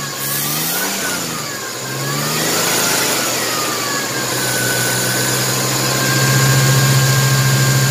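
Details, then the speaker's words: 1994 Chevrolet S10 Blazer 4x4, 4.3 CPI V6, 190,000 miles, sat three years, just after the spider injector replacement, with the intake off: revs waver up and down, cutting up under throttle instead of pulling clean; owner suspects an unconnected part. "Kind of cutting up when you give it gas, but it could be this little guy right here not being hooked up."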